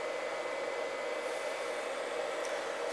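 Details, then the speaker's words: iCharger cooling fan spinning up while discharging a new LiPo pack at 4.7 A (charger rated to 80 W discharge) during a cycle: steady airy whir at constant pitch, no rattle or wobble; normal cooling fan. "right now I have the Lipo in discharge mode, and you'll hear the fan spin up to cool the charger down."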